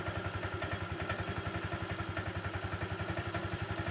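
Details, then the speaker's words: 2014 Honda Vario 125 FI that stalled and would not run because the stator (spool) was damaged by sand in the magnet, after fitting a genuine new stator: an even, regular idle with no misses. It runs normally again. "Lalu kita coba kita starter. Ternyata keretanya sudah balik seperti semula."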